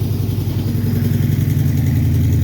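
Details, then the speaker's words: Old Dodge truck (Little Red Express clone) V8, warm after about 10 minutes idling: deep idle with rapid puffing tick on each exhaust pulse from several exhaust leaks around the headers, said to be normal for these Mopars. "you can hear the exhaust leak there are definitely a few of them around the headers uh I'm told that's pretty normal for these Mopars"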